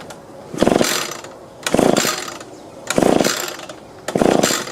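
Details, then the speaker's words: Echo PB-2520 two-stroke blower after carburetor removal, reinstalled: buzzes up in repeated blips about once a second, each rev rising cleanly and dropping back evenly; running properly, idle still to adjust. "Alright, that's sounding better. Let's adjust the idle."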